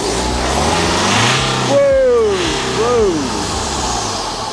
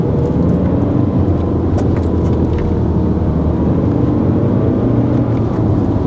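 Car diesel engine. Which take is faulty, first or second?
second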